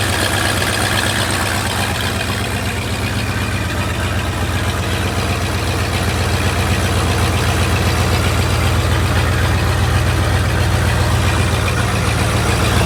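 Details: Lifted bullnose Ford carbureted V8 truck running after sitting almost 4 years, carburetor just cleaned, rebuilt and tuned: deep, even rumble holding steady and smooth throughout, no stumbles or knocks; normal idle.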